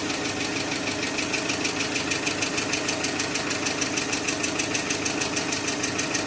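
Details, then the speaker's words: Engine at idle with steady light hydraulic lifter ticking about three per second; flush oil did nothing, and after an additive the knock became much quieter and almost disappeared toward the end. "ну короче итоги эксперимента так называемого эксперимента промывка двигателя ни к чему не привела как они тарабанили так никто не ляйтера банят залил присадку мы услышали стук конечно гораздо меньше под конец уже почти исчезал"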